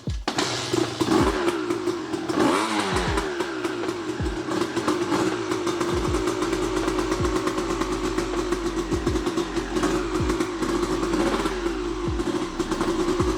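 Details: Honda CR250R two-stroke, first start after years of sitting with a fresh top and bottom end rebuild, on premix: crisp crackle, revs sag and stumble between blips and it won't hold idle; owner suspects the carburetor idle adjustment.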